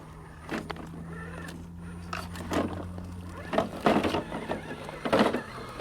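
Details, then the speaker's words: Element Enduro Bushido 1/10 RC crawler on the trail: steady motor whine with irregular bursts of light plastic clatter over bumps; the loose body shell rattles on its mounts and needs foam underneath. "body's a bit yeah needs a bit of foam under there I didn't notice that actually when I got out of the box but the Enduro sport edition was like oh that is a bit worse that's uh it's not too bad but you can hear it rattling here but it will get a little bit annoying on the trail I can assure you"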